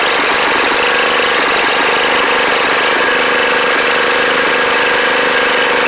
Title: Snapper riding mower running like crap first start in 4 years